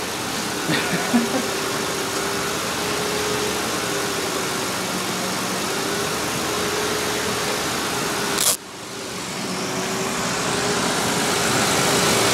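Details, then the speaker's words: Ford Explorer during a water pump job, engine running with exhaust now leaking and dripping while building pressure: smooth even idle with steady low hum and no knock, tick or rattle; it purrs. "to it just it's just purrs"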